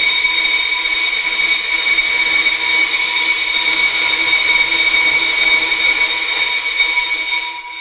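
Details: Pro-Cut on-car brake lathe, on a newer vehicle, turned on while the rotor's small rusty outer ridge is removed by hand: steady high-pitched ringing whine with light scraping edge; cutting normally.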